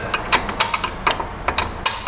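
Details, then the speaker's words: Buick Enclave rear parking brake adjuster ratcheted off after fitting new parking brake shoes: crisp clicks in irregular bursts, about two or three a second, a clean and healthy action. "sometimes the spring will get watered around but usually it'll click pretty good"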